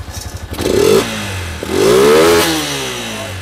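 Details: Yamaha Exciter 135 with rebuilt engine upgraded to full 155 VVA spec, back one week after the build for tuning and an oil change: two clean throttle blips, revs rising and falling smoothly with no knock or rattle; healthy engine revving.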